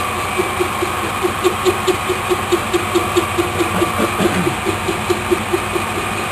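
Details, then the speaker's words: Lathe turning a racing pulley blank whose centre hole was drilled off-centre: steady rhythmic ticking about 140 a minute over the lathe hum as the tool skips, cutting intermittently. "you can hear it now it's just [Music] skipping"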